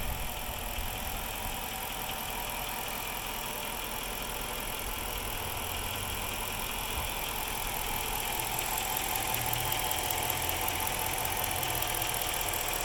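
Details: 2006 Chrysler 300C 5.7 Hemi V8 at idle: uneven, lumpy beat and a loose rattle over a steady rumble; very rough idle, cause unknown.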